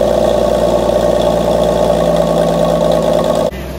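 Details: 1964 Dodge Dart station wagon, 170 slant six with push-button automatic, revived after 25+ years parked outside: loud raw unmuffled exhaust bark at a steady even idle, no misses or rattles, firing on all cylinders; normal idle.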